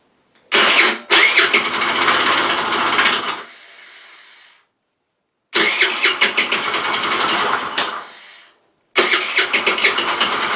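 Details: Rex RS500 Speed scooter after draining old fuel, adding fresh fuel and refitting the carburettor, start attempt: short runs between stalls carry a dry, uneven metallic clatter over the buzzing single; source not yet found.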